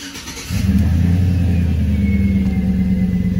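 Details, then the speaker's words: Truck sat overnight, engine revving with thin high whine climbing with rpm, serpentine belt reinstalled after belt-off test removed the whine; bearing in a belt-driven accessory, likely alternator, suspected, not confirmed. "yep definitely hearing that wine so we gotta continue to try and track down what that is"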